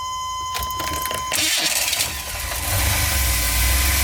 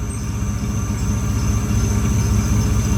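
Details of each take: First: GMC Safari 4.3L Vortec V6 with code P0305 (cylinder 5 misfire), before the ignition tune-up: cranks, catches, then settles into a lumpy, stumbling idle with a recurring miss. One cylinder dropping out. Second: GMC Safari 4.3 L Vortec V6 after a tune-up (new platinum plugs, cleaned cap and rotor, wires repaired) for code P0305, cylinder 5 misfire: smooth, steady idle warming up with no misses; normal idle, slight belt chirp from sitting.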